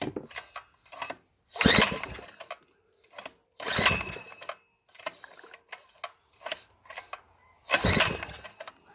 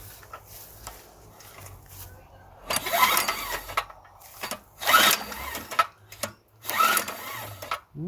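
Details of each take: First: Small two-inch petrol water pump engine, sold as non-running, after ignition repair; fuel poured into carburetor, throttle wide open; irregular bursts of firing with gaps as it catches; ignition now working and engine will run. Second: Small two-inch petrol water pump, plug showing it ran rich: three rough whooshing pull-overs about two seconds apart, never firing; cranks but no start, no spark seen, low-oil switch or stop wire suspected.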